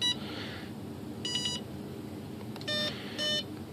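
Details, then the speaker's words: Hobbyking 20A ESC in a Sunbird 1.6m glider, powered up with throttle cut off and throttle stick full up: short electronic beep sequence entering programming mode. "make sure you're on your airplane throttle sticks up this is a otherwise dangerous condition you hear the beeps"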